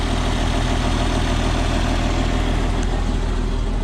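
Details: 1994 Isuzu cab-over diesel truck sat 3 years, after starting fluid and fuel additive; even diesel clatter at steady beat, no stumbles or rising knock; healthy settled idle.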